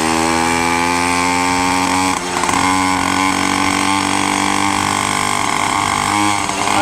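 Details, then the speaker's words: Minarelli two-stroke on a motorized bicycle, first ride after fitting a new reed and intake: revs pull clean low down, then go fat and burbly past about half throttle; running too rich and needs retuning. "Alright guys, I just took it on its first rip. It's very fat. Sounds good."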